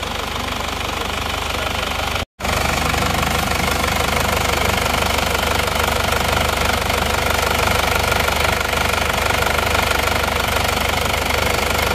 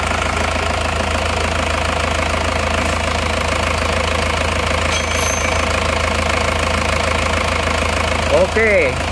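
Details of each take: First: Diesel from Probolinggo at cold idle: clattery beat with a steady rush of air and pressurized smoke from the crankcase. Blow-by judged mild, not severe; likely needs new piston rings, and hopefully the cylinders aren't scored. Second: Diesel engine idling after repair of blow-by (ngobos) from the crankcase; steady, even, smooth idle with uniform clatter and constant low hum, no puffing; blow-by gone, engine healthy.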